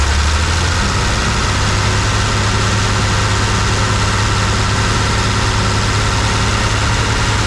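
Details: 1974 Plymouth Duster, slant six, sitting since 1987, after priming fuel: the engine takes right off into a steady, even low idle with no knocks or misses. No major leaks are seen, though it likely has no coolant and a holed radiator.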